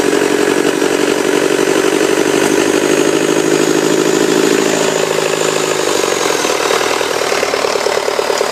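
Steady diesel clatter at idle, even and unhurried with no knocks or misses; a healthy-sounding engine.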